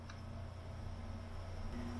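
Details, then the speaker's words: UHER 4000 L/S reel-to-reel tape recorder drive motor with the back panel off and power applied: faint steady low hum, motor trying but not spinning or building up speed; the drive motor is dead and is to be replaced. "here is a noise, but this model does not spin. And if we simply you see, it's trying to spin, but it's not."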